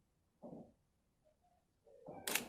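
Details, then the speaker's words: Chinon camera from shipping-container storage, built-in intervalometer now working: quiet isolated clicks a second or two apart, crisp and consistent, soft whir on the last frame, intervalometer firing properly. "I quite like this Chinon, especially now it's working. Listen to that. Click, click, click."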